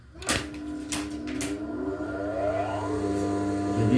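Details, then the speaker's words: Electric motor (dinamo): a couple of clunks, then a steady even hum with no rattle or growl, running smoothly as it should. "Tapi ketika dinyalain yang tadi untuk bunyinya yang normal teman-teman itu seperti ini teman-teman Seharusnya Ya seharusnya dinamo itu ketiga dinyalain itu langsung halus nggak nggak"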